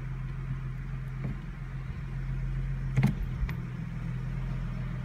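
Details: 2015 Ford Mustang with automatic transmission: quiet steady idle, then one sharp dull driveline thump as reverse is selected from park, shaking the car; a clunk on engaging reverse, cause unclear.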